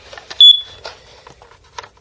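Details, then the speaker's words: Carbon monoxide alarm made in 2003 chirping at end of life (7-year lifespan): single short high-pitched chirp that continued after battery replacement. "today it started beeping I thought it was the battery so I changed the battery and it's still beeping"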